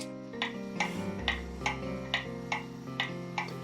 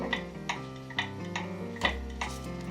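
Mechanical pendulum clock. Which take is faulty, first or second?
second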